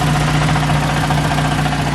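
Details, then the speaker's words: Honda Civic EM2 at idle: a constant gritty rattle from the transmission with the clutch released, present since purchase, goes away when the clutch is pressed and returns on release; worn throwout bearing. "When we originally got the car, there was already a rattle noise that's coming from the transmission, and obviously we found out that it was a throwout bearing. When you press in the clutch, the noise goes away, and then when you release it, the noise comes back."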